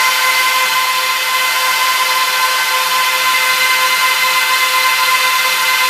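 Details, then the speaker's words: Trash-picked Dell PowerEdge 1750 server powering up to boot from CD: loud steady rushing hiss with a few fixed tones from all 14 fans at full speed, no surging or rattle; normal power-on fan noise. "so that's what that's what uh 14 fans sound like when they're on full speed uh [Applause] cranking"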